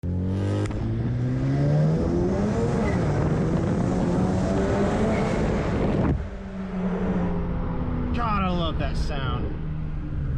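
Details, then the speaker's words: Straight-pipe exhaust after fixing metal-on-metal rattle by replacing failed Flowtech Raptor mufflers and correcting the heat shield and installation. Deep smooth note climbing through revs and settling, no rattle; healthy exhaust. "nothing like that sound nothing nothing nothing nothing like that sound oh i love it all right i believe that the uh the rattle is fixed"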